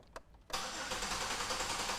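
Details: Engine cranked while graphing MAP sensor voltage: even, steady cranking without starting, no clanks. Voltage dropped to about 4.3–4.4 V, showing the engine makes vacuum and therefore has compression.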